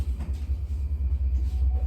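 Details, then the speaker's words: 2010 Chevrolet Equinox after leaking exhaust repair with replacement part fitted (one rear spot still to be welded): engine started, low even rumble with no ticking, puffing or rasp; exhaust now sealed and far quieter. "that's it amazing difference guys i don't know if the video as i said last time does it justice but it's so quiet"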